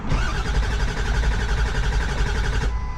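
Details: Ford Powerstroke diesel truck, broke down with over a quarter tank of fuel: steady starter churning about one and a half beats a second for nearly three seconds, engine never catches; cranks but won't fire, fuel filter bowl to be checked next.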